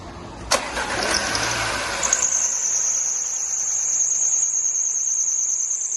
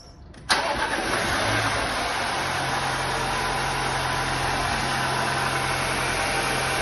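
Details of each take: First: Audi A6 on cold start: engine cranks and catches, then a thin, steady high-pitched squeal rides over the idle from a worn auxiliary belt tensioner, before the tensioner was replaced. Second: Audi A6 after repair: engine cranks, catches and settles into smooth idle with no belt squeal, after worn auxiliary belt tensioner causing cold-start squeak was replaced with front end removed.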